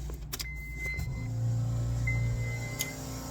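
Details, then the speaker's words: FueLab Prodigy 1800 external in-line fuel pump on its low-speed setting: a steady, even low hum with no surging, rattle or whine. Running normally and very tolerable in volume. "You can hear here, that's the low speed. That's extremely tolerable, I think."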